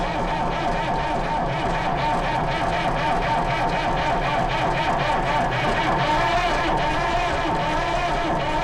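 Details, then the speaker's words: Lansing Bagnall Model A tug, Perkins P4 diesel in poor condition, has compression (decompression lever makes cranking easier); steady, laboured starter churn about four beats a second with no firing; owner suspects not enough heat; slow cranking no-start. "oh dear sounds like she's wanting to go but it's not having it"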